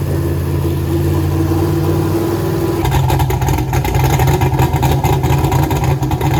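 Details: Turbo LS Mustang built for 1000+ hp, new Aeromotive fuel system, first fire-up; deep choppy idle about 900 rpm, then crisp blips that climb and settle, air-fuel ratio right on; normal idle and revs with lumpy cam.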